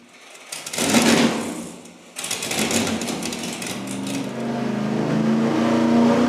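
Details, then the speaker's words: Cheap vacuum-secondary carburetor run straight out of the box on an engine dyno at full throttle: pitch climbs but the exhaust note surges and pulses roughly instead of staying crisp, a poorly running carburetor. "It doesn't really sound very good. It doesn't sound good. It was almost pulsing like a massage shower head in a hotel room."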